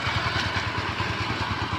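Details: Kymco Easy scooter checked for a creak-creak noise at idle, CVT inspected and fine: idles with even, quick low pulses and no clicking or scraping from the engine or belt drive. Normal idle.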